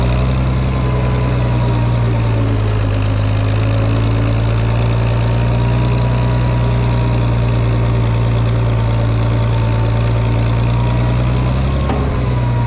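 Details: Farmall 460 tractor, rebuilt engine, after electronic ignition upgrade, running in fourth gear: steady, even low thrum at constant speed with no knocks or misses, running smoothly; owner suspects timing advance slightly off but runnable.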